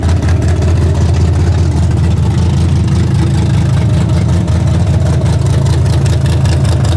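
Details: Freshly rebuilt 406 V8 breaking in, 5 min 15 s into a planned 15-minute run: loud, steady, deep V8 rumble with an even beat at fast idle, no knocks or ticks, running cleanly. Open plenum fitted; crew thinks it may need a bigger carburetor.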